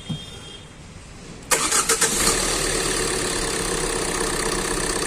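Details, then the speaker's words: Tata Nexon engine starts after the head was opened and the timing belt refitted (it had been misfiring with no pickup and white smoke), catching with a few quick bursts and settling into a steady, even idle. "तो हमारा engine total fitting हो गया start करते हैं और wishing check कर लेते हैं"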